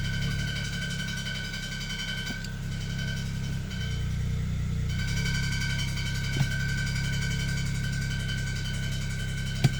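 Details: 2007 BMW E92 335i idling: dense, low metallic rattle underneath, first thought to be transmission rattle, found to be a slightly bent flywheel.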